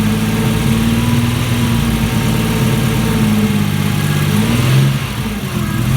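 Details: Alfa Romeo GTV 2.0 V6 Turbo, first start after rebuild with AFM-to-MAF conversion, still needs fine tuning and aux belt re-tensioning: loud, slightly uneven idle with low pulsing and a dip near the end; rough running.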